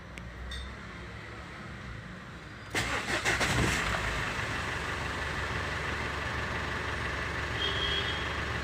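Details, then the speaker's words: Ford Endeavour diesel that cranked without starting: after the repair it catches within a few seconds and settles into an even idle, with fuel rail pressure during cranking now easily above 2000 psi versus reportedly no more than about 1800 before. "easily goes up above 2000 so i think we have solved the issue"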